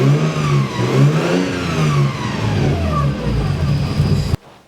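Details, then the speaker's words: Nissan S13 after water pump replacement, engine briefly run with other accessory belts off and water pump not turning: thin whine rising and falling with revs traced to the timing belt and its pulleys; belt tensioned too tight. "I don't know how clearly you could hear that from the video but it's definitely the uh timing belt"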